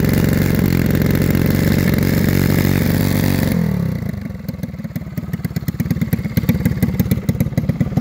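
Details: New stock Predator 212cc engine for dirt track racing, during tuning: loud revving drops to a loose, uneven, stumbling idle; carburettor running rich, being fixed.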